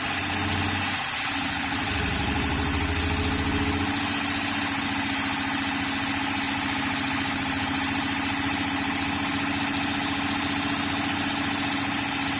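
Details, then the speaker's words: 2013 Honda Pilot J35 V6 after the timing belt slipped: uneven, lumpy idle with a hollow, weak firing note after a stumbling start, as if low on compression; owner suspects flooded cylinders may be part of it. "they sat for a while, and then the cylinders will get flooded, and without doing a flood clear, it'll just keep running like it didn't have any compression."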